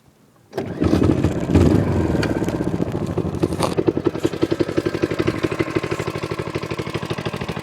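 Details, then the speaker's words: Manco minibike, just got running, started on one pull without priming: settles to an even popping idle around four beats a second, no misses; smooth, healthy idle. "idle smooth it doesn't really miss at all"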